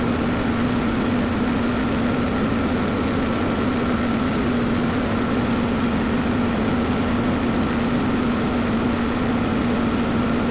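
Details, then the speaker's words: Cat 312 excavator diesel, just restarted after replacing a blown hydraulic line and topping up hydraulic fluid: smooth even low drone, no knocks or surging, no leaks seen; normal running. "So, I got it running and so far we're looking good. Don't look like we got any leaks."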